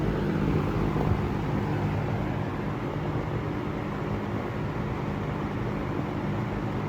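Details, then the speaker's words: Restored harvest-gold P47 fan on high speed after restoration: even steady whoosh with low motor hum, no ticking, rubbing or wobble. Normal running. "So without further ado, I guess we can run it. We'll turn it on high. Well, that runs nice."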